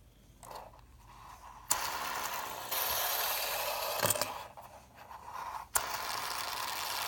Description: The bearing squeaks and it binds so it often stops itself as you can see in the video.